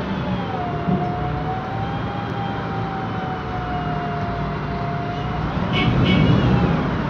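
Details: 2007 MAN Lion's Classic CNG city bus, MAN E2876 LUH03 EEV engine, Voith DIWA 864.3 4-speed automatic, while driving; steady mid-pitched whine over road noise, varying with road speed: noisy rear differential, plus Voith transmission sound.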